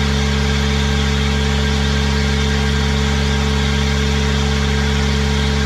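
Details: Kubota diesel with a 1006-tooth ring gear, started using a new starter with an 8-tooth pinion: a smooth, regular beat at constant speed with a clean, steady hum; the engine runs sweetly.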